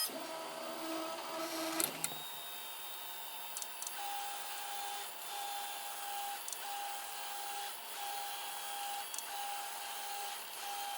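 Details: 3D printer axis moving quietly after replacing the original stepper motor; the noise blamed on the linear bearings was not theirs. Only a soft steady motor tone and light clicks, normal quiet axis motion.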